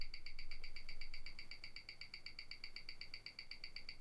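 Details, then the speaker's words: Rolex Explorer II, bought about two months ago, at 28,800 bph on a Weishi timegrapher; crisp, even ticking, steady with no stumbles. Running minus six, returning to minus five; owner believes it will need servicing. Normal watch tick. "now it's negative six and hopefully eventually it'll run back down to negative five again"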